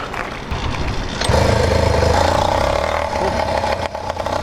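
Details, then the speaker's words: Freshly rebuilt 100cc PK100 two-stroke motorized bicycle engine with new 49mm iron sleeve, cracked MZ65 clone exhaust, cold start without choke: catches first pull, settles into quick rich burbling idle during break-in; running normally, jetting fat. "Start it right up. Still got to break in, so I got to let it run, do a couple heat cycles like this, with it being real fat. I think it's fat right now."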